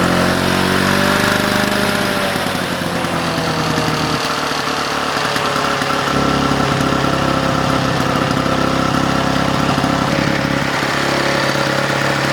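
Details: Vintage Victa two-stroke mower that was hard to start and leaked fuel, after cleaning: catches and settles into steady, even two-stroke buzz without stumbling or knocking; normal start and run.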